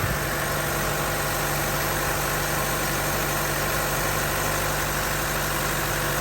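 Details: 2012 Chevy Cruze with 188,000 miles, just after an aluminum thermostat housing and thermostat replacement, started at 72 degrees: a smooth, steady idle with a constant low hum and no knocks, ticks or squeals.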